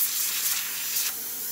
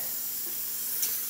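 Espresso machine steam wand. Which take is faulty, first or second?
second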